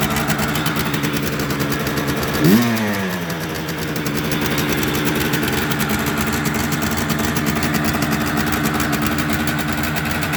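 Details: Restored 1976 Suzuki GT125 two-stroke, kick-started cold on choke; it revs quite high at first. It fires up and settles into a fast, even, buzzing choke idle, healthy cold running.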